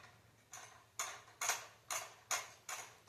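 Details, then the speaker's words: Xbox Series S with back plate off, after being accidentally kicked; faint airy pulses surging two to three times a second irregularly instead of a smooth whir; uneven fan speed, fan needs replacing, console otherwise fine. "That fan is so choppy. So we know it's the fan. It's nothing really wrong with the Xbox. It's just a fan."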